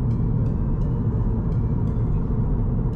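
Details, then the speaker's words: 2020 Subaru WRX driving on a flat road after the passenger door panel was treated for speaker resonance and rattles: only a low steady road rumble in the cabin with no door rattle or buzz. The cabin is quiet. "那我车现在在平路这样开，其实都蛮安静的，蛮不错的，回到一种刚出厂的感觉。"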